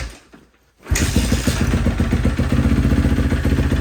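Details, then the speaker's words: 2012 Kawasaki KX250F after full engine rebuild, intake valves found out of spec and re-shimmed: catches at once, crisp even idle, no valve tick over exhaust beat; earlier ticking gone. "Well, just the top end, re-shimmed it, and the ticking is completely gone. Engine sounds brand new. Check it out, listen to this."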